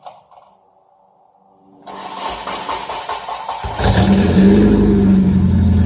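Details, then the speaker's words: 25-year-old Nissan 240SX with long-tube headers only, no muffler, not started in a while: brief crank, then it settles into a loud, raw, rasping unmuffled idle. "i'm going to show you guys what it actually sounds like for a 240 sx to just have long tube headers and that's it"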